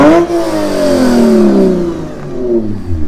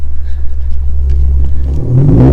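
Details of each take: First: Lexus RC350 with PPE headers, mid-pipe and Remark axle-back, nearly straight-piped, after resonators installed to cure a rasp at 2500-4000 rpm: revs rise and fall with a clean deep exhaust tone, rasp gone. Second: Lexus RC350 V6 with newly installed PPE headers, mid-pipe and axle-back, essentially straight-piped with no resonators, heard from outside: deep drone turning harsh, high-pitched and raspy between about 2500 and 4000 rpm; resonators planned as fix.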